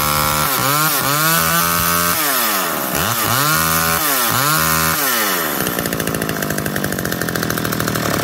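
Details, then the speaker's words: McCulloch Eager Beaver 2.0 chainsaw after rebuild, mixture leaned half a turn and idle speed turned up: several quick blips that rev up and drop back evenly, then a steady, buzzy high idle that holds; runs healthy. "a little more just turning the idle speed up with the world's tiny"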